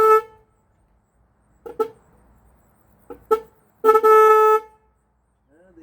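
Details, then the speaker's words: 1965 Ford Thunderbird during rebuild, horn test: short honks then longer blast, all one steady note with no second pitch; both horns sound the same tone, which the owner thinks should differ. "Yeah. They're both the same tone. They should be different tones, shouldn't they?"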